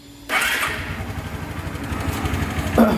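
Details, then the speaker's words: 2010 Suzuki Access scooter after replacing the self-start motor carbon brushes: a short starter whirr, then it catches at once and settles into an even idle. Normal electric start; the earlier tick-tick no-start is fixed. "बिल्कुल ठीक से start हो जाएगी।"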